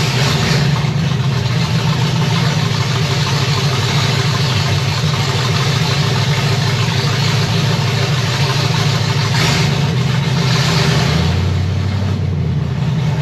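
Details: Chevy 327 small block in 1965 Nova wagon, first startup, Edelbrock Performer RPM Air-Gap intake, open headers, 30 lb oil pressure, water about 180°F, fans on; deep steady even rumble, no misses or knocks: normal idle.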